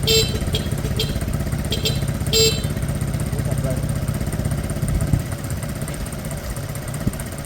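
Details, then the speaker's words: Piaggio Fly 125 fuel-injected scooter after engine swap, fresh oil, first few minutes running: small single-cylinder engine settles into steady even idle with low putter, no knocks; normal idle. "I think got that sounds smooth enough I got fresh oil in there two or 3 minutes"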